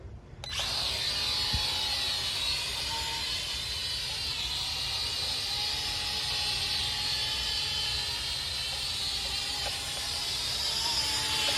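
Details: Galactic X drone after pairing with remote, start button pressed: small motors jump to a steady high-pitched buzz and hold evenly, normal spin-up at flight start.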